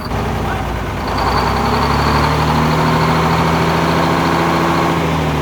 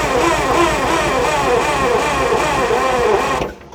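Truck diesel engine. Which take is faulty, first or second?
second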